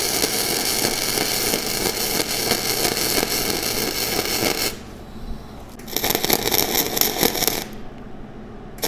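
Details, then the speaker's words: Flux-core MIG welding with wire feed speed too high and voltage too low: harsh, erratic popping and spitting with stutters instead of a smooth sizzle, no penetration, uncontrollable bead. "the wires speed too high my volts are too low you can kind of see my wire just keeps popping it's not getting any penetration whatsoever and it's just pretty uncontrollable"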